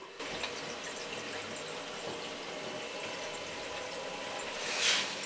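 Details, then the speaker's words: Renault 5 Maxi replica with V6 turbo during coolant bleeding, electric water pump running. A steady trickling, gurgling rush of water through the circuit as the level drops, with no grinding or rattle. Coolant is circulating normally. "Ça circule. Et donc là, vous voyez mon niveau d'eau qui descend."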